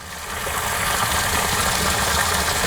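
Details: Bass Tracker Pro Team 175 TXW livewell pump running: steady rushing water over a low, even pump hum, with no surging or rattling. Normal pump operation.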